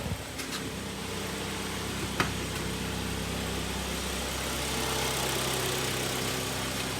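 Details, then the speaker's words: Kia Sportage 3 after full rebuild with cylinder sleeving for a severe piston knock: smooth, steady idle with even hum rising slightly as it warms, no knocking or tapping; normal idle. "ровно работает до новых встреч до свидания"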